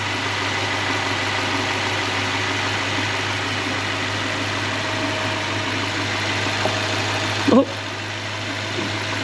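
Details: Toyota/Lexus 3UZ-FE V8, engine still hot, idling after bearing replacement to cure a whine: steady even low hum, most of the noise gone, no bearing whine standing out.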